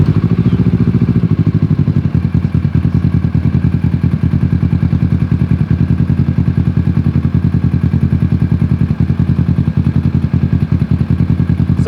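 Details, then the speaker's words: First drive of a 600cc motorcycle-engined crosskart after three years of work, just fitted chain tensioner; loose chassis rattle of unknown origin over idling engine, fast clattery pulse; dislikes first gear, brakes weak. "rattling now that I'm sitting in it and I don't like it."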